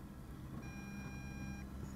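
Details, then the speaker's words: Eachine EX2 mini brushless drone, 1306 2750KV motors, 7.4V 850mAh battery, near end of about nine-minute flight: single steady high beep over low motor hum; telemetry low-battery warning with flashing lights. "There's our battery warning. It beeps too, by the way, if you notice."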